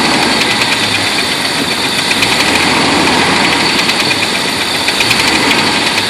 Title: Jeep wrangler knocking noise?